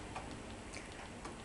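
Soft, irregular ticking, a few clicks per second, repeats over quiet mechanical whirr during playback; something in the transport is catching. Cause suspected, not confirmed.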